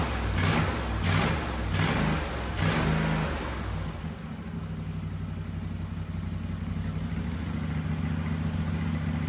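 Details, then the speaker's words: Husqvarna 2554 riding mower twin after new fuel filter: quick throttle blips settle into steady even idle with no stumbling; a little smoky, owner suspects from sitting; running normally. "But hey guys, it runs. Sounds like it's running good. It was a little smoky, but hell, that might just be from sitting."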